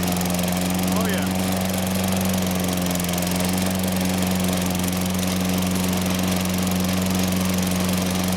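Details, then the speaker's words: Toro Personal Pace mower with a 6.5 GTS Tecumseh engine, after a carburetor cleaning, holds a steady, even buzz with no surging or misses; running normally. "sounds good personal pace run works well going to let this run a while"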